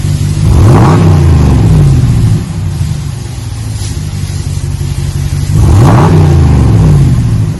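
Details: 2020 Ram 1500 Big Horn with a new single chamber V-tube muffler, 5-inch black tips, resonators kept, stock front and factory cats. Two clean throttle blips, each a deep throaty rise and smooth fall to a steady rumbling idle. Normal exhaust note.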